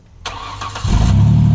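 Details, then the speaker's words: Car with a rusted exhaust section cut out, coupler slid on but not yet sealed, at startup: catches quickly into a loud, deep, unmuffled rumble from the open exhaust. "there's one thing i always like to do with an open exhaust like this and that is start up the car and see how it sounds"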